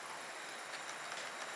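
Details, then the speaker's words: Small DCC model locomotive set to speed step 20, with acceleration CV set to 100 and deceleration CV believed to be 35: faint continuous high-pitched hiss and grind on the layout; rough running, track work suspected. "that grinding you can hear like I said looks great I haven't had too many problems with it running on the outside loop when it takes the inside it seems to give me heck"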